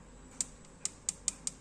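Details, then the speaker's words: Yamaha Aerox scooter: sharp light tek-tek rattle, about five ticks a second, when throttled between 2000 and 3000 rpm, gone above; not CVT but loose cam chain from insufficiently tight tensioner. "Kalau lagi jalan suaranya cek tek tek tek tek bunyi berisik. Enggak enak banget ya."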